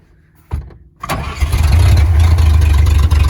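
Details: Brief crank, then this 1938 Chevy Master Deluxe catches within a second and settles into a steady, even idle rumble. It is running a carburetor and starter borrowed from another vehicle, and overheating no longer seems to be an issue: a clean, healthy start.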